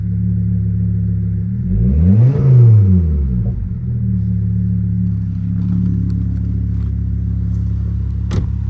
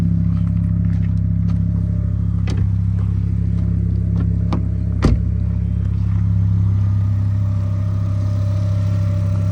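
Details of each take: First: 2005 Volvo S40 T5 brought back to life after sitting, started with a boost after a new vacuum line. Even idle, one quick rev and return with no stumble or misfire, smoke now stopped; running normally. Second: 2005 Volvo S40 T5 at idle on a freshly fitted used alternator, first run during revival: steady low idle with a faint constant-pitch whine and light clicks; owner says the alternator is howling, smoke seen near it, top alternator bolt not installed.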